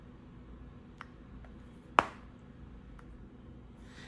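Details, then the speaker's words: Google Pixel Fold review unit: one sharp, loud crack from the folding hinge with faint ticks around it in a quiet room; the hinge makes an audible clicking/cracking sound. "if you've seen the review you'll see that there's a video in there about the hinge which on my review unit was making a clicking sound"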